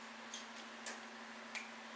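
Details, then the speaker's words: Yard-sale Murray 42" Wide Body riding mower, key turned on before first start; a couple of faint sharp ticks over a quiet hum as the fuel shutoff solenoid clicks open, as it should. "there we go solenoid just opened up best way to test for them is just turn the key on you usually feel or hear it click"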